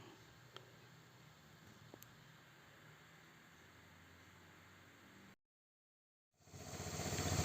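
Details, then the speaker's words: Vespa LX 125 scooter idling after a routine service (CVT cleaned, engine and gear oil changed, spark plug and carburetor cleaned). A quiet, even hum with no clicking; the earlier "cek" noise came from the CVT, not the engine. Normal idle. "Oke pemirsa, nih motor udah jadi, udah saya bawa pulang. Suaranya, suara ininya CVT-nya halus, mesin juga halus."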